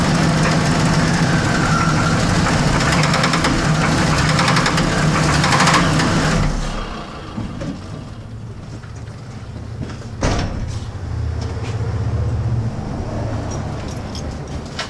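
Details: 1979 Pontiac Trans Am V8 at idle: rumbling with an even, deep knock about four times a second, a bad bottom-end bearing.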